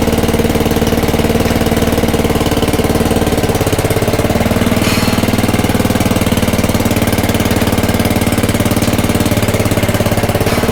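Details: Craftsman/Ryobi rototiller after belt replacement, throttle about 3/4 in neutral: small single-cylinder engine chugging steadily, firing evenly with no knocks or rattles; running fine.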